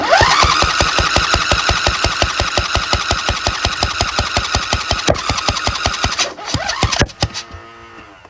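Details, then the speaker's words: Craftsman DLT2000 lawn tractor, choke on, cranking fast and strongly to push out water but not firing; fuel solenoid not working, suspected blown head gasket, possibly a dead cylinder or broken connecting rod. "Well, at least we know the starter works well."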